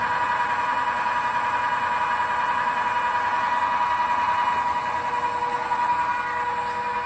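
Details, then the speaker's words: XYZ Proturn 420 lathe running at 500 rpm (max 2,500) after replacing the spindle bearings: steady even hum with a faint whiny gear tone on top; bearings smooth, slight gear noise remains, not fully silent. "We'll turn it on, see how you can hear it."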